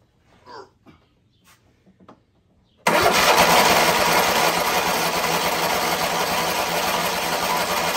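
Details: Kohler 7000 engine, rebuilt with new pushrods and the exhaust manifold refitted, first start on choke. After quiet handling noises it catches abruptly and settles into a steady, even fast run with no knocking. The engine starts and runs.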